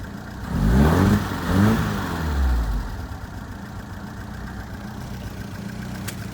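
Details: 1978 Fiat 124 Spider with rough idle under diagnosis: uneven, lumpy idle after a couple of throttle blips, firing beat wavering instead of settling; cause not yet pinned down.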